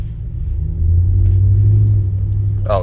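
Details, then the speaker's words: Vehicle with working four-wheel drive, on a test drive: deep, throaty rumble swelling with revs, louder than stock; aftermarket exhaust. "yeah, it definitely is aftermarket. This thing is gonna be loud."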